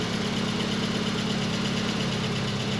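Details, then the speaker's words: 1989 Volkswagen Cabriolet, first start after two years sitting in a field, with replaced mouse-damaged engine wiring harness; smooth, even petrol idle, steady beat, no knocks or misses, good oil pressure. "it sounds like it's running fine it's got great oil pressure"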